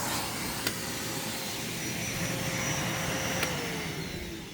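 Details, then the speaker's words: Secondhand Bissell PowerClean OnePass (35831) upright vacuum after cleaning, still needing new filters and a belt, testing the turbo brush: even motor whine with a light whirring brush easing slightly at the end; working normally. "yeah so this thing works good for $5 I'm definitely not going to complain I mean it works great just needed a good amount of a clean"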